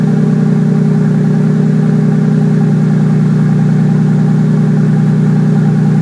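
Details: 1965 Mustang with 2JZ six-cylinder swap, newly fabricated exhaust with Dynamax race bullet muffler running along driveshaft and over axle; deep, even exhaust note, smooth steady idle and clean revs, no knocks or rattles; normal running and revving.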